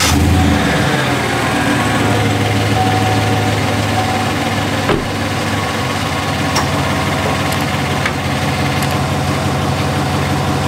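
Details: 2017 Chevrolet Silverado 5.3L V8 with 88k miles idling smoothly after brake vacuum pump replacement: only a light, quick ticking from underneath, much quieter than the former loud ticking.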